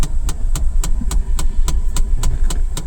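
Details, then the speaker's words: 2022 Bolero Neo, about 3 years old, idling: sharp regular khat-khat knock about 3.5 times a second from behind the dash corner, stops when the recirculation button is turned off; suspected solenoid valve controlling the air-flow ducting, unconfirmed. "तो इसका मतलब issue जो है वह है that is related to some solenoid valve या कोई valve है जो इस डक्टिंग को कंट्रोल करता है।"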